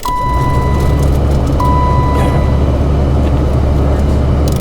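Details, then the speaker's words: Blower fan test on a 1991 BMW 318i (E30) sedan being restored, key in ignition: strong steady rush of air with an even hum and a couple of chime tones, blower spinning freely; fan works normally. "It works. Lot of speed out of it, though."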